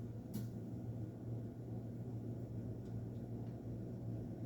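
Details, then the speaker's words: 52-inch Hampton Bay St. Clair ceiling fan, in really good condition, running after a reversal: very quiet, steady low hum with no ticking, scraping or wobble; the motor runs smoothly. "that was nice and quick this thing got plenty of power to it it's not like a traditional home store"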